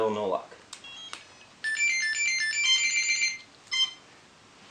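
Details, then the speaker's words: Quadcopter with Pixhack 2.8.4 flight controller and old-style ESCs, motors not running: short high beep bursts repeat with pauses, the ESCs warning that no PWM throttle signal arrives because the safety button isn't pressed; not a real fault. "SC's are beeping right now because I'm using an old-style ESC and that currently there's no PWM values going to the flight controller so it thinks because the safety button is not pressed so it thinks there's an issue but it really isn't"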